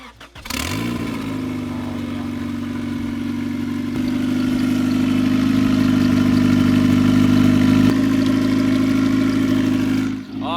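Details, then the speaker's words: Honda Civic EG hatch with B20 VTEC turbo engine, tuned at 9 psi on pump gas, new injectors, first start after months of rebuild: cranks and catches quickly, settles into steady even hum that climbs slightly and holds; purring, runs smooth. "she is purring that sounds sick"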